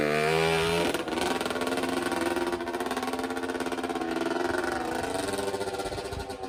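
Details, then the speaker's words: 1984 Honda CR60R two-stroke dirt bike, bought not running, after carb clean, spark and reed checks and reassembly: crisp note climbs and falls cleanly through the gears while ridden, no misses or bogging; runs and drives good. "she runs good runs and drives good got her all back together so that's a fun little bike a little too small for me"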